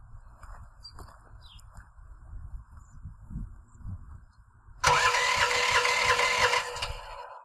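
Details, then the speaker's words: LS15R mini excavator after tri-fuel (gasoline/propane/natural gas) conversion with motor snorkel; handling noise then loud starter cranking without firing, won't start without prime; cranks but no start. "it does not start without [Music] prime."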